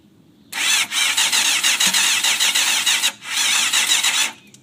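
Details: 1992 Yamaha FZR600 cranks but won't start: high starter whir about four seconds, one pause, no firing. Carbs cleaned night before, fresh gas, fuel pump clicks until carbs fill, stator and reg/rect replaced; owner suspects fuel not passing, unconfirmed.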